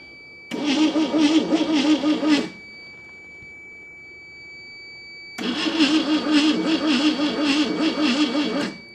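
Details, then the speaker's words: 1971 AMC Gremlin sitting since about 1984–85, plugs back in, weak spark that fires once then quits: two bursts of steady starter chugging, about three beats a second, no firing; cranks but no start, low battery voltage suspected. "think we're running out of voltage. I'm about to switch to the other battery because it sparks the first time and then it quits."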